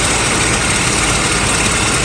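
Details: Mercedes SL600 idling in the rain with a repaired Egas module and throttles fitted to a test car: smooth even idle, steady hiss over it, no stumbling or surging; vacuum leaks at intake manifold breather holes; engine runs well.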